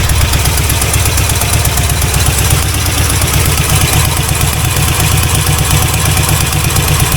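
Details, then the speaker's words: C4 Corvette 350 V8 freshly reinstalled after rod-knock repair: steady even idle with a smooth exhaust beat and no knocking. 45 lbs pressure, running really rich, timing still way off, not charging; normal idle. "No knocking. 45 lbs of pressure. And it's just running really rich."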